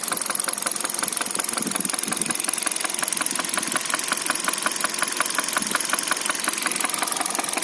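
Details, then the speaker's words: 2013 Hyundai Solaris, 140,000 km, at idle: sharp, regular ticking about 167 per minute over a steady idle. Top-end knock; owner suspects a valve after the engine suffered oil starvation, not confirmed. "Было масляное голодание двигателя."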